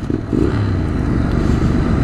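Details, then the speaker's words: Motorcycle running on diesel-contaminated fuel: low, dull rumble with muffled whooshes instead of pops, unsteady throttle response; rider suspects unburnt diesel firing in the exhaust. "so this sound I'm hearing is probably the diesel firing after it left so it's kind of like a diesel backfire so that's why it sounds this weird cuz it does sound like a really low uh backfire"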